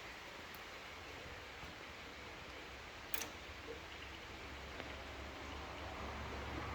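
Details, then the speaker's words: Pre-war Riley Brooklands with the engine off: the SU electric fuel pump ticks about every three seconds. The owner worries this means a slow fuel leak, but none is visible, so the cause is unconfirmed. "so I'm just worried that continual ticking means it's there's a slow leak somewhere but I can't see anything leaking it's ticking once every 3 seconds or so"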